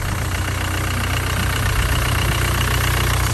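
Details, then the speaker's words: Salvage Mercedes W205 C-Class that now starts first time every time after earlier starting trouble. Steady low idle with even firing pulses, smooth and settled with no misses or knocks, a healthy idle. "Right guys, so as you just saw from last night, the car is starting. Have a listen. First time, every time."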